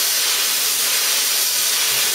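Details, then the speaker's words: Plasma cutter on a small compressor: steady harsh hiss with no crisp arc bite, too little air to cool the tip or blow the molten metal through, burning out the tip; air starvation. "not to mention what we're doing now is burning out the tip of our plasma cutter we haven't got enough air going through it not cooling it and it's not pushing the plastic through quick enough"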